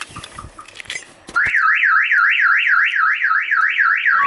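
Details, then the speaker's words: Ford Mustang 5.0 with a Clifford aftermarket alarm, new battery just fitted: after a few bumps, loud rising-and-falling siren cycling about four times a second; false alarm triggered simply by sitting on the car, oversensitive sensor. "so what I went ahead and did was put a battery in the car you hear that little Clifford alarm is going whatever"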